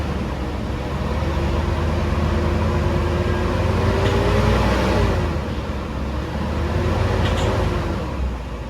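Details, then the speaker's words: 2010 Toyota Innova 2KD diesel before repair, P0093 stored, revved with no load: a flat drone that barely rises, stuck near 1200 rpm, while feedback reads good; the injectors are suspected of sticking or leaking. "Ini feedback kondisi bagus tapi dinoselnya bisa mengalami kerusakan atau juga macet."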